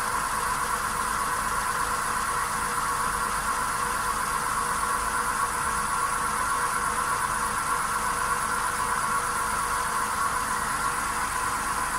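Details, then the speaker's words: Right front wheel bearing on a VW Polo Sedan, failed at inspection, heard with the raised front wheel spinning: a steady even hum with a faint whine at one pitch; stock Kama tyres also drone. Confirmed worn, needs replacement (SKF VKBA 3569). "Да, подшипник действительно гудит. Звук отчетливо слышен. Поэтому его необходимо заменить."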